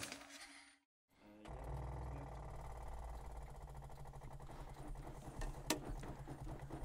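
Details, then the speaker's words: Stone-cold Lamborghini Miura started after switching on ignition and six throttle stabs; two or three cranking attempts, since it effectively has no choke, then it catches and holds a steady fast idle to warm up; normal cold start. "okay it took two or three bites of the cherry which can happen with these engines because they say they effectively have no choke on them but um engine bursts into life"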